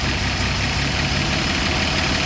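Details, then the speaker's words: Slant six engine with 17 years on it, distributor turned while idling to adjust timing: dull, lazy, soft uneven low thrum lacking crispness; ignition timing set too far retarded, later set about 10 degrees advanced. "now I turn the distributor that stretch on the wheel is going to move uphill or downhill and you can hear the difference in the motor now let's go a little bit too slow"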